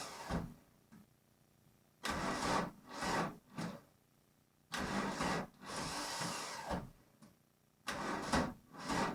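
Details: VW Golf Mk1 1.9 turbo diesel cranked after five months of winter storage: repeated laboured, dragging cranking bursts of a few seconds each that never catch; bad starter sound, slow starter on a weak battery.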